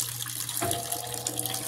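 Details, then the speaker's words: Mueller Energy 8kg washing machine, new, first wash, leveled on its feet: drum speed rising as it spins out excess soapy water and pumps out; rushing water over steady low hum and faint motor whine; normal spin and drain. "velocidade aumentando os dez mais ainda girando edinho abicalçados nivelado"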